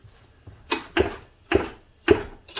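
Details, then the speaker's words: Homelite XL 922 Super chainsaw: slow rope pulls give four firm, evenly spaced thumps about half a second apart, showing good, healthy compression. "Oh yeah. He said this was a good one. It's definitely a good one."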